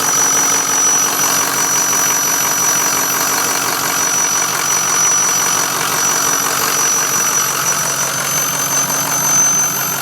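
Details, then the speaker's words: 2006 Ford F-350 6.0 Power Stroke diesel, SCT-tuned, EGR delete, 4-inch catback: piercing steady high whistle from under the hood at even idle; cause unknown to owner. "so this is the uh very loud and obnoxious whistling sound I've got coming from under the hood of my six L"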